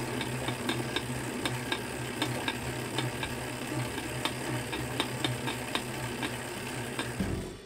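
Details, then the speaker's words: Tacx Neo series or Flux S/Flux 2 bike trainer being pedalled: sharp cracks about one per second over low drone; suspected lack of grease on spacer or cassette body in trainer axle, fix by cleaning and greasing. "it could be due to a lack of grease on the spacer or cassette body in the trainer axle"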